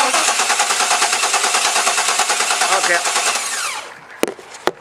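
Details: 1998 Chevrolet Tahoe 350 with no spark, new aftermarket ignition control module fitted (used module had made it run): even cranking about three pulses a second, never fires; defective new module.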